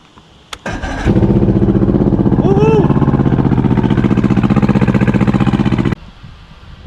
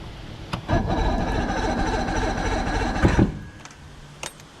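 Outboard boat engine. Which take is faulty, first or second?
second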